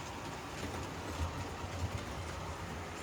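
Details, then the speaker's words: HO scale model locomotive after unboxing and test run: steady, even low hum with light rail clicks, no gear whine or grind; gears wore in, speed rose on its own, earlier noise gone, now normal running. "All right, I guess the gears had to get um used a bit and now the locomotive is actually pretty quiet compared to how it was before."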